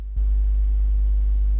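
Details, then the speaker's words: Headset or microphone recording picks up a steady deep 60 Hz electrical hum with low buzz and faint higher overtones; computer grounding suspected but unconfirmed, to be removed using software. "do you hear that all this buzzing and deep noise like that deep"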